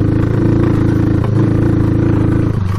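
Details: Honda CB360 found abandoned, carburetors cleaned, running without air filters on first test ride: engine drones at flat pitch and sags instead of climbing, brief dips under throttle; won't rev out, cause uncertain.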